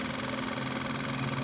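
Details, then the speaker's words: Kawasaki KLF 185 ATV electric fuel pump bench-run on a weak battery with charger, flushing gunk into a glass jar; steady even hum with low buzz, no surging or rattle; fuel coming out clear, pump operating normally. "which is good. That's exactly what I want, just to get the gunk out of the actual pump."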